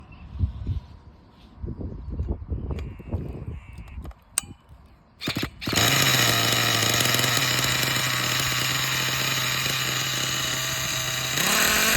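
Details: Thunder Tiger S50 8.2cc glow engine, first run after rebuild: hand noises, then a steady high-pitched buzz that holds even before climbing with throttle; running clean and strong.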